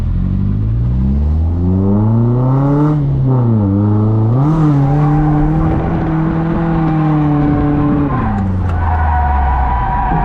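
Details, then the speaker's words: Car drifting at full throttle on new grippier tires: engine screams then suddenly drops out for a couple of seconds and recovers mid-drift; owner calls it a fuel cut, cause unknown. "it's doing that fuel cut thing again do you hear it like completely die oh it's so annoying i just lose complete like i just completely lose power and then it comes back like halfway through my drift"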